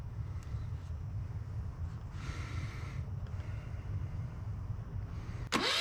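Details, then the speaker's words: Yanmar 1GM single-cylinder marine diesel in a shop, with cooling water running through for cooling-passage flushing: a quiet, low chugging idle that holds steady with no misses, then a sharp clatter near the end; it bounces less than expected. Normal idle. "I just wanted to start it up I got that water going through there I know the lighting sucks um but thank goodness that I've got it running um and it's not bouncing around nearly as much as I thought"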